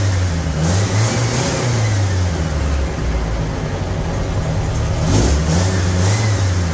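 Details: 1975 MGB four-cylinder project car, now firing on all four cylinders: revs up and settles smoothly twice with an even, steady beat and no misfire; runs much better than before.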